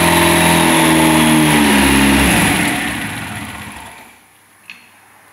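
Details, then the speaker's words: First start of a freshly prepared SEAT 124 turbo engine. It revs rough and uneven, then drops and stumbles toward stalling. The misfire is attributed to some things still missing, as the engine is just starting out. "Falla porque falta un poco de cosas, está empezando."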